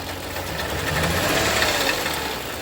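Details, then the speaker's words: Toyota Kluger that sat for over four years, idled about eight minutes, engine cover off, revved: rough, uneven note that stumbles rather than pulling cleanly, with smoke; owner suspects no compression on cylinders one and five, misfire. "it's also blowing quite a bit of smoke when you rev it as well and the other thing is I don't think it's got any compression on cylinders one and five"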